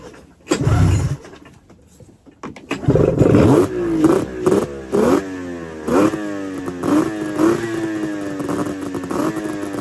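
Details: 1999 Arctic Cat ZRT 600 triple two-stroke snowmobile, revived after sitting over 20 years, carbs open with fuel down the cylinders and a temporary electrical setup: cranks, fires, revs in quick blips, settles to an even buzz; normal running.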